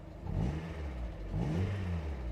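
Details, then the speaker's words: Mazda Miata after cleaning debris blocking the throttle body, not yet warmed up: low steady idle sags slightly when the AC compressor engages, then holds without stalling; previously AC on caused stalling at idle. "so now let's turn on the air conditioner because here the idle did change and it went down a little bit but it didn't go down to zero oh this is good"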